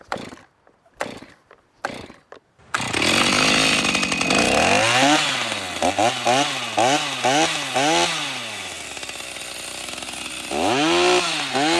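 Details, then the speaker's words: Stihl MS390 chainsaw after rebuild: a few pulls, catches, idles and revs cleanly with crisp throttle response; runs well, though oiler not working due to seized worm gear. "anymore that sounds so good"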